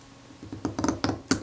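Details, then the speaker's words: Kodak Retinette type 022 camera during servicing, after CRC Lectra Clean was applied: short dry scratchy creaks in four or five bursts as a very tight part is forced; sticking suspected from dried grease or red paint. "oh you can hear that creaking and groing it's uh doesn't want to move"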